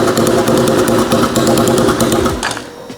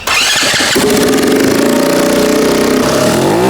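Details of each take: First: Turbocharged 150cc go-kart engine, first start on an ECU tune made for the old 125cc motor: catches, stumbles through uneven rapid chatter for a couple of seconds, then dies; owner suspects it isn't getting enough fuel, not confirmed. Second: Turbocharged 150cc go-kart engine with a very small turbo and crude dump pipe, free revving: blips about every second and a half with fluttering chatter from the turbo as revs drop; normal turbo flutter.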